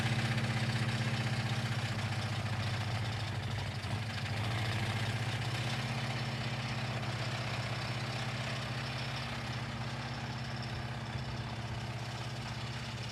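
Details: Blown engine idling after a mildly chilly start: regular deep bang about four times a second; owner calls it a rod knock while it still makes oil pressure.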